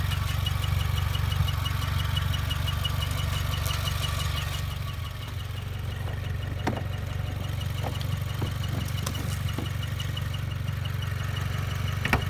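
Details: Warm 2016 Subaru WRX at idle, clutch pedal up: high, fast, even chirping that stops when the clutch is pressed an inch; greasing the slave cylinder boot didn't help; cause unconfirmed.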